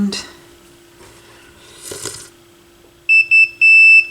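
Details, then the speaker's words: AR XA turntable initial evaluation, multimeter continuity check of the tone arm ground wires: a clear high beep in short bursts, then held steady; ground has continuity and the tone arm wires appear okay, at least initially. "right ground looks okay at least initially so it appears as though the tone arm wires are okay"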